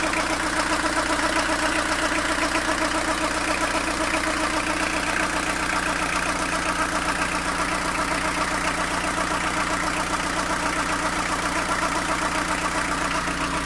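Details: Fiat Ducato diesel van at warm idle, noticed after coolant change: steady rattling beat about two to three per second from the belt side, only when warm and idling; cause undiagnosed.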